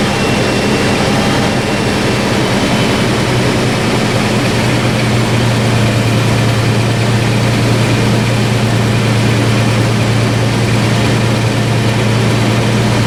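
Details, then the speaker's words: 2012 Toyota FJ Cruiser with new MagnaFlow cat-back exhaust replacing rusted OEM system, at idle: deep steady throaty rumble, no rattles or drone; normal exhaust note. "Sounds good. I like it. It's got a little more note to it. some throat. Doesn't drone out and get weird."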